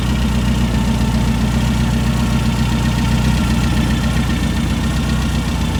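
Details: Brand-new 2332cc air-cooled VW flat-four Manx buggy engine, dual Weber carbs: deep, even, lumpy rumble at steady idle, no misses or rattles; normal idle.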